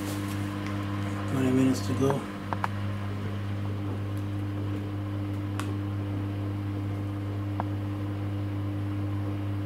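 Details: Samsung WW10N645RBW washing machine after adjusting the legs for stability: steady even motor hum through the spin, no shaking, thumping or banging; rated 73 dB spinning; smooth, balanced normal spin.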